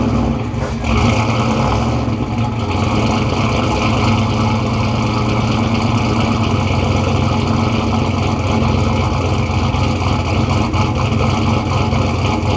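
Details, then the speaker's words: Turbo Foxbody Mustang, microphone at the tailpipe, heard after rewiring the starter solenoid trigger through a relay to stop it blowing the 10 amp fuse: steady, even exhaust rumble at smooth idle, no misses or knocks; running normally. "I'm going to put my microphone at the back here so you can get a full on exhaust clip."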